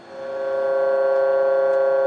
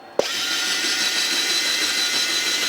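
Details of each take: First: U.S. military RT-834 HF radio (GRC-106A) receiving a 10 MHz, -80 dBm AM signal with 50% modulation of a 1 kHz tone: steady buzzy tone near 550 Hz with strong overtones instead of clean 1 kHz; receive off frequency, cause not yet found. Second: U.S. military RT-834 HF radio (GRC-106A), tuning from 11 back down to 10 MHz: steady high-pitched tuning motor whir for about four seconds, then a clean stop; normal motor run.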